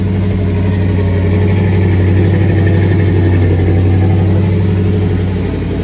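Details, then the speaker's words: 1983 GMC K2500 Sierra Classic, carbureted, first start in five years after barn storage, little coolant: deep, steady idle burble, even with no knocks or misses; normal idle, carb jets may be gummed. "so she runs she idles might be some carb cleaning in the future if any of those jets got gummed up"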